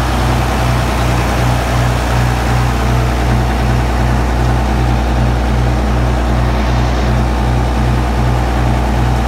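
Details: John Deere 7520 diesel tractor at first start after 10–13 years stored, started on first turn of key with electric fuel pump fitted; deep, steady chug at idle with no misses or knocks, running smoothly.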